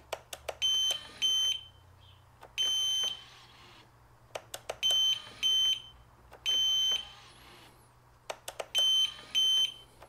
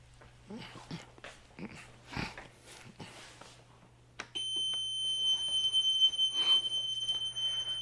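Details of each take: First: Piaggio MP3 400 after repair of suspension-lock warning beeping, ignition on: repeated cycles of clicks followed by clear high beeps; suspension lock engages and releases normally each time. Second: Piaggio MP3 400 scooter, suspension lock engaged: a high, shrill, continuous warning tone starts and holds steady; the suspension lock motor-reducer shows a current-below-normal or open-circuit fault.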